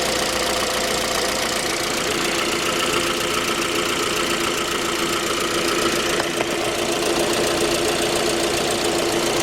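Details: J20A engine (2010), cold idle: dull knocking about two per second under a harsh idle. Began at 10,000 km and worsened after oil changes; dealer checks were normal. Found a scored crankshaft journal on cylinder 3, blamed on non-recommended oil; short block replaced.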